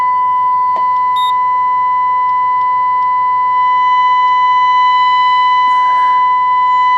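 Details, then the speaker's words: Two-stage single-ended vacuum tube amplifier on a breadboard with a small output transformer. A loud 1 kHz test tone is laden with harmonics, plus a 4.5 kHz pilot signal; about 2.5% second-harmonic distortion was measured. Distorted test tone. "I can hear it's a 1 kilohertz hit a signal with it's laden with harmonics it does have my 4.5 kilohertz pilot signal in there though"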